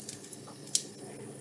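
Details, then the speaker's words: Acorn 28-AKF12 CRT monitor on a current limiter after fitting a new flyback: sharp, dry high-voltage clicks about every 0.75 s over a faint hiss, with the screen very bright. The owner suspects a short, possibly the new flyback. "it's clicking and it's very bright something is wrong something is shorting it's I would say the flyback is shorted but it's brand new"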